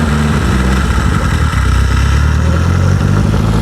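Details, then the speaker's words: Renault 5 GT Turbo barn find, unused since 2001, fed by a funnel bypassing the suspected dead electric fuel pump, choke out: strong, even roar climbing cleanly with revs, no misses or knocks, healthy engine. "we know that that's a good engine that sounded mint"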